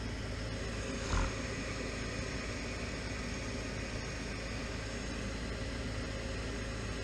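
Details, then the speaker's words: Furnace on a no-heat call firing after tape was applied to hold the control-board contacts closed (suspected solder fault): click at light-off, then a steady even rush of burner and blower, no cycling or sputter; running normally. "There she goes. so far the furnace is running alright. I'm pretty much confident that the unit is gonna hold"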